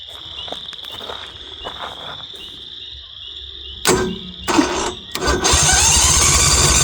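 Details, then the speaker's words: Northstar 10000 10 kW auction generator, running condition unknown, 2018 battery: after a pause the starter spins it in a fast uneven churn with no firing or catch; cranks healthily but won't start. "Yeah. It's not even trying to fire over. Let's pop this off. And at least it's cranking. It sounds healthy. It doesn't sound weird."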